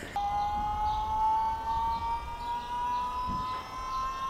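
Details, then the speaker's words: Ford Fairlane with an Astra electric power steering pump, first run after install. A loud, clean whine climbing from mid to higher pitch as it spools up, jet-like but steady. Normal pump whine. "Jesus Christ, I gotta build a ladder exhaust. It sounds like a jet, doesn't it? It's ridiculous."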